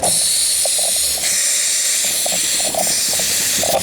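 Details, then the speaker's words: GM Cruze with high fuel use, misfire and shaking idle, and a knocking noise near the rear seats: opening the filler cap gives a loud hiss as the tank, sucked down by the intake through a faulty canister purge valve, refills; fix is replacing the canister valve and filter. "tem pressão no tanque tá bom tá gerando uma pressão dentro do tanque derivado de um componente que tá ali na frente ó presta atenção"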